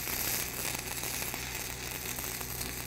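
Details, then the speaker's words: Stick welding (6010/7010 rods) on a split-sleeve repair of a live residential gas line, downhill section. A harsh, uneven crackle and spitting, almost like reverse polarity, caused by the extruded, die-punched sleeve metal. An erratic arc. "okay on this section you can hear that sound it sounds almost like reverse polarity but what's happening is that is extruded metal"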